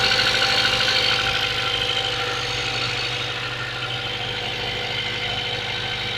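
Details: Mazda 3 1.6 engine on cold start: cold idle with a fast, fairly even tapping about three per second over the engine note, a knock when cold.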